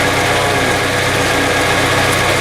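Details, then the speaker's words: Chevrolet S10 after head gasket, intake and exhaust manifold gasket replacement, just started after a little trouble starting, not yet warm: steady, even idle with smooth low rumble and no knocks, misses or ticks; runs fine. "Anyways, I'm not sure why it had a little trouble starting up, but it started. Sounds good to me."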